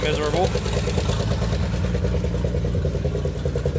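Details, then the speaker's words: Abandoned 1968 Chevy Impala four-door, long sat, after turning worn idle screw: fast, slightly uneven idle with loud raspy exhaust; high idle, owner suspects carburetor needs help or a missing vacuum line, unconfirmed. "The carburetor definitely needs help. Um it's running away while idling real high."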